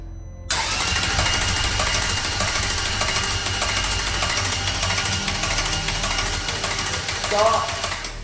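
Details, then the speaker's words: Ferrari F430 engine, freshly rebuilt, on its first start. A harsh metallic rattle over the cranking/running engine with no oil pressure built up yet; the bearings and tappets sound like they are chattering. "very very rattly I don't like that no I've got no pressure here no oil pressure no not yet that stinks yeah the fuel's going to come out but that does not sound good no it just sounds like the bearings are chattering"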